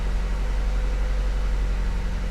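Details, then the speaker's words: Nissan 200SX salvage car, cold start after replacing mass airflow sensor and clearing its code: low, steady idle hum, even beat, no knocks, misses or hunting, no smoke; normal idle. "okay it runs and it's running well cold start so let's see if we get any smoke no no smoke"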